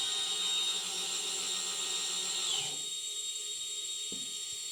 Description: Eachine tyro 109 Bad bearing noise